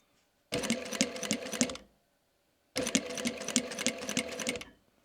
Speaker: Teraz założyłem igłę z zadziorem. Mam nadzieję, że słychać takie jakby szarpnięcia,